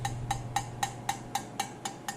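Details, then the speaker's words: About nine quick metal taps on a new 18-inch louvered, slit resonator for a 2000 Honda Civic exhaust with eBay header and test pipe, each dying out fast with a dull, dead tone from its damping. "by tapping on it it's much more dead and the reason for that is if we look in here we see these spiraled louvers and there's actually a slit in them"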